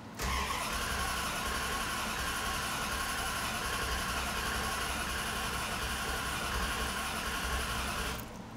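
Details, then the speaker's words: 1973 Chrysler Newport Custom 400 big-block, carbureted with a mechanical fuel pump, after sitting three months: eight seconds of even starter cranking with no fire, done deliberately without gas to build oil pressure, which still reads none. "just trying to build up some oil pressure come on Old pressure still no oil pressure"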